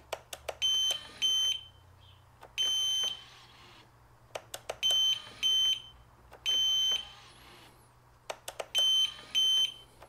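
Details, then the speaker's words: Piaggio MP3 400 after repair of suspension-lock warning beeping, ignition on: repeated cycles of clicks followed by clear high beeps; suspension lock engages and releases normally each time. "włączamy stacyjkę blokujemy trzeba zwrócić uwagę na to czy będzie się o elegancko blokuje się cały system motor jest sztywny więc jest wszystko okej"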